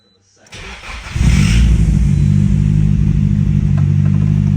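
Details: Nissan 180SX Type X turbo, second start after fixing, oil level good: brief crank, fires cleanly into a strong, even idle with steady deep exhaust beat; healthy start.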